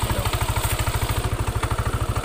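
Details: Yamaha NMAX with an aftermarket bilet headlight (about 60 W) fitted: heavy, steady CVT knocking at about fourteen pulses a second under idle. It appears only with the headlight on, which loads the charging system, and stops when it is off. Cause: broken pulley slider.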